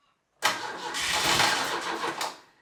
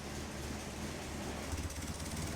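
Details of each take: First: Caterham Super Seven 1600GT Sprint, 1.6-litre carburettor engine with bare mufflers, cold weather start without a choke: cranks, catches roughly and dies, second try runs ragged with uneven revs needing throttle; hard cold start. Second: Caterham Super Seven 1600GT Sprint, 1.6-litre, 27 years old, with silencers fitted in its bare mufflers, idling steadily with a smooth low rumble and the radiator fan whooshing constantly; normal idle with radiator fan running.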